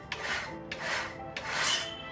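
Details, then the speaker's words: CenturionPro trimmer running with a protruding tumbler fin that slightly contacts the bed bar blade: a light scraping rub about every 0.6 seconds as the tumbler turns. The fix is to straighten the bent fin with a rubber mallet. "This could be because of a fin on the tumbler protruding, therefore causing a slight contact with the bed bar blade. In this case, you will need to straighten your tumbler."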